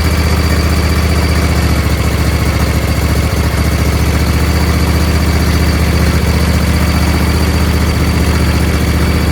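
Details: Husqvarna YTH20F42T tractor with a Briggs 21HP V-twin, after freeing the stuck fuel solenoid, taken off choke: a steady, even low beat holding speed with no misses or surging. It runs smoothly.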